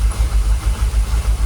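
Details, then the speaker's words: Jaguar XKR V8 whose fuel pumps sat dormant 10 years and which used to stall after a few minutes: even, steady low throb at about 800 rpm idle, no stumble or shake, fuel pressure 45 psi. The engine has calmed and is no longer rocking. "Actually, to be fair, sounds alright, doesn't it? Or am I just being a bit optimistic? Does that sound alright? Sounds alright, doesn't it? You can see on the engine, look, it's calmed down. It's a lot smoother."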